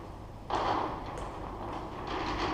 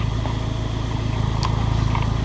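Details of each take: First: Abarth Punto Evo listed as non-runner, oil on dipstick, cam belt on and tight, suspected of no compression: steady starter cranking, then engine briefly catches and roars, trying to fire without running. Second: Abarth Punto Evo, bought as a non-runner, now nearly up to temperature and idling in normal mode. It has a steady, even, fairly loud, deep exhaust note with no misses, knocks, pops or bangs: normal warm idle.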